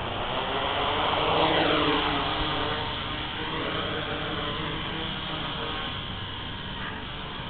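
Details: ArduCopter quad test flight on APC 10x3.8 props; one brushless motor, dying over recent days, whines down in pitch and wavers roughly.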